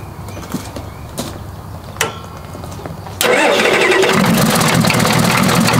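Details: Diesel engine start after reconnecting a loose glow plug wire; faint glow plug relay clicks, then engine catches at once and settles into a steady even idle with no misses; normal start.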